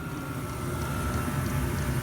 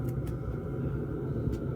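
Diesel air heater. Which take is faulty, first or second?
first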